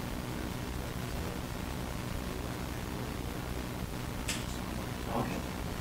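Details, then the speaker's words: Desktop with ASUS motherboard and i5, audio out through a small mixer to Yamaha HS5 studio monitors: steady low hum under an even hiss, unchanged even with the monitors powered off. Many fixes were tried without success; ground loop noise. "the noise it's terrible and i can tell you i tried everything to get rid of this noise absolutely everything"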